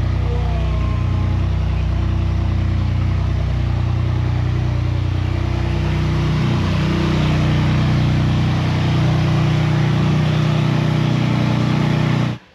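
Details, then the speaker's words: BMW M2 Clubsport fired up for the first time in about 10 months after its rebuild, running with no exhaust fitted at all: very loud, raw, steady bark with an even low pulse, no misses or knocks; healthy engine. "the reason it was exceptionally loud is there's no exhaust on it like literally nothing just to see it fire into life"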